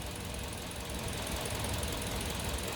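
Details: Kia New Carens 2.0 LPI after ignition plug replacement: low, even idle holds steady with no stumble or miss; the earlier misfire is gone and the engine runs smoothly.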